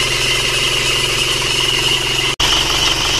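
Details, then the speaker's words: 1997 Panther diesel brought in for heavy oil consumption, idling cold; steady, even clatter with no misses or knocks, not rough, and no smoke seen yet while waiting for it to warm up, idling smoothly. "getarannya sampai body mungkin hanyalah pangkon mesinnya ini lihat tidak begitu ngasar Sebenarnya ya Jadi tidak begitu kasar sebenarnya belum kelihatan asap Masih dingin kita tunggu sampai agak panas dulu"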